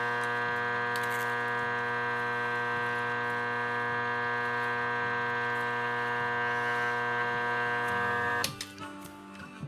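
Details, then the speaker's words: Motorcycle starter armature on a growler with a hacksaw blade, after a washer shorted it to demonstrate: steady, clean hum with no blade buzz while checked around, then a clatter; normal armature, no shorted windings. "You can hear it there. I know it's very hard to hear, but there is a change in the sound of it. But as long as I go around here and check it, everything seems to be normal there."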